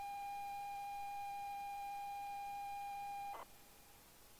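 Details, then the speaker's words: 40-year-old ZX Spectrum cassette (Golf) loading: steady high loading tone with faint overtones, then a dropout and sudden cut. Dull, weak signal suggests a poorly kept, degraded tape. "There's a dullness to the sound. You can hear it. Yeah, there is. There's a terrible dullness there. There's terrible dullness. It's a kiss of death for these tapes."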